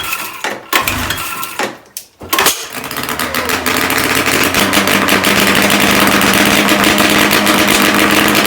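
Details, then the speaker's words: Ski-Doo Formula III triple two-stroke, first start in weeks after carb cleaning and adjustment, muffler off: a couple of stumbling tries, then loud crackly steady even buzz; sounds healthy. "that sounds good there's my eardrum though"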